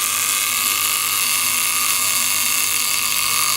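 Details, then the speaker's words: Antique Violet Ray machine (doctors' high-voltage device, mains powered), cover off: harsh steady high-pitched buzz with fast even chatter from trembler contact with threaded adjuster, coil and what seems a capacitor; normal trembler buzz. "you've got like a a trembler arrangement in that as you can see it but the contact is moved in and out by this threaded part"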